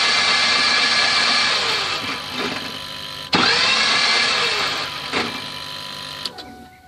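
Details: 2007 Ford F250 6.0 PowerStroke diesel that lost power and stalled at about 70 mph and now won't crank: only a high starter whine winding up and dying away, no compression beats. Starter spinning without turning the engine, broken flywheel not connected to crankshaft.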